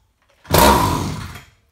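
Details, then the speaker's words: 31-year-old Echo 550EVL chainsaw that won't run, drop-started after a squirt of carb spray: one pull gives a brief burst of firing that dies at once, proving spark and compression, so fuel supply is at fault. "first pull did you hear that right there that fired that tried to start just for me doing that one little squirt in there"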